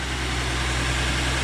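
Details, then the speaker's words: 2014 Ford F150 3.5 EcoBoost V6, ~91k miles, after replacing plugs and bad cylinder 3 coil for P0303 misfire: steady smooth idle, no vibration or stumbling; normal idle after repair. "And it already sounds and appears to be idling much smoother."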